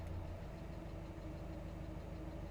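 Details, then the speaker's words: Mazda Miata after cleaning a clogged throttle body and recharging the AC, which previously stalled it at idle: steady, even petrol idle dips slightly with the AC switched on but holds without stalling. "because here the idle did change and it went down a little bit but it didn't go down to zero oh this is good this is awesome"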